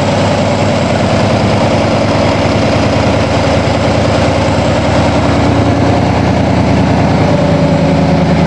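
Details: 1987 Toyota Supra MKIII with swapped Chevrolet 350 Vortec V8 and 700R4, restarted after rebuild with distributor cap turned 180° and valve lash reset; exhaust loose on manifolds, unwelded. Steady even idle, regular exhaust pulse, no knocks or misses: normal idle.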